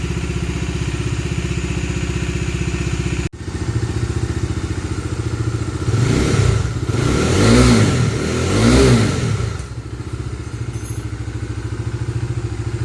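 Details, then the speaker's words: Bajaj Dominar 250 restarted after its dead battery was charged and refitted: single-cylinder thump idles evenly, rises cleanly through throttle blips and settles back to a steady idle. No other fault. "വണ്ടി എടുക്കായിരുന്നു, battery down ആയി പോയതാണ് guys. വേറെ കുഴപ്പമൊന്നുമില്ലല്ലോ. Battery charge ചെയ്ത് കൊണ്ടുവച്ച് സ്റ്റാർട്ടായി."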